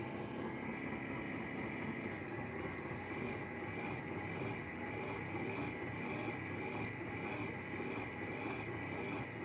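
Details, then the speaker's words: Sole F85 treadmill, microphone removed, someone walking at 3 mph: loud, low roar like an airplane taking off, with a strained whir under load; likely bad rusty bearings, and the weak drive motor needs replacing. "a load boy that thing's loud sounds like an airplane taking off"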